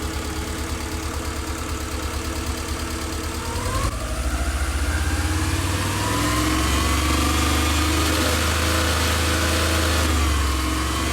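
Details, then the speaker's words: Subaru EJ22 boxer engine, first start after reinstalling it, revved in neutral. A fast metallic rattle grows louder with rpm because the exhaust heat shield, wedged by bolts with play, shakes at higher rpm. Earlier it was feared to be the timing belt rollers. "so what's happening is that higher rpms the heat shield is shaking and that noise is coming from down there"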